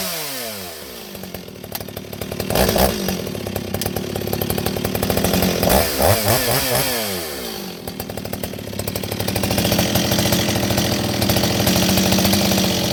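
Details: Repaired Stihl 026 chainsaw with an aftermarket muffler, baffles removed, hollow, fitted with a pipe; started in a cold shop. Crisp rev-ups and clean drops, steady even buzz at each speed, no misfire or bogging. Runs good, oiling good.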